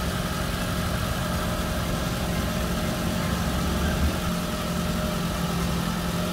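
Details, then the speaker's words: Toyota Camry XV40 idling after its aftermarket K&N air filter was cleaned and refitted, with an exhaust header fitted: even, settled low rumble with no misses, ticks or hunting; the engine sounds normal. "Ya, semuanya kedengaran normal dan ini mesinnya sudah dengan filter yang baru, sehingga harapannya pernapasannya akan lebih baik ya."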